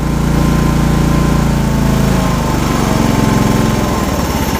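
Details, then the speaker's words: John Deere 185 Hydro riding mower engine test run: steady, even low rumble with no knocks or misses, runs great. Mower deck spindles/bearings are separately noisy. "But anyways, as far as runs, runs great."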